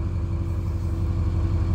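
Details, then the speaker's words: 2006 Ford F250 XLT 6.0 diesel with check engine and wrench light on, derate/limp mode: steady, even idle that runs fine but no throttle response; MAP sensor shorted, pulling down the 5 V sensor reference, 12 codes stored. "here's the problem when i press on the accelerator nothing all the way to the floor halfway a quarter and absolutely no change"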